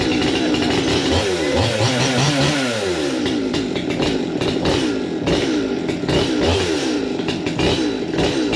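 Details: 200T two-stroke chainsaw on first test fire after new carb, intake boot, impulse line, fuel line, fuel filter, air filter and spark plug: fires and revs up and down with a crisp, even buzz, sounds much better; normal running, just needs carb tuning.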